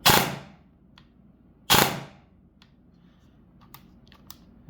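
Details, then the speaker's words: Eshooter basic MOSFET gel blaster, reprogrammed with four trigger pulls in programming mode from auto to burst: two sharp firing volleys about 1.7 seconds apart, each cutting off cleanly; cycling properly in burst mode. "We can then go back into programming mode and pull the trigger 4 times, which will be auto is now burst."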